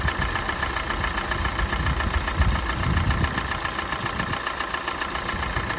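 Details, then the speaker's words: 2017 Kia Sportage 4th gen, G4NA engine, 265,500 km, idling while warming up: rough idle with a faint, uneven knock of about two beats a second, growing as the engine warms, absent at cold start; not piston slap, cause unknown. "Вот сейчас обороты упали, слышно стало. По мере прогрева мотора возрастает вот какой-то стук, которого при пуске не было."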